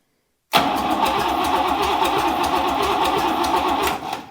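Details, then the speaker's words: Buick 401 Nailhead in a rail dragster, first-fire attempt after new wiring, plugs, wires and points: steady fast cranking for about three and a half seconds that never catches; cranks, no start. "why do we got nothing we got nothing carburetor's starting to leak gas"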